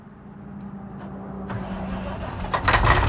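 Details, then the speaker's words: Kenworth K100 cabover with Caterpillar 3406 diesel: slow irregular cranking that catches into a rough start, running only on ether (starting fluid); fuel system not delivering fuel, still to be fixed. "Anyways, there you have it. Anything will run on ether."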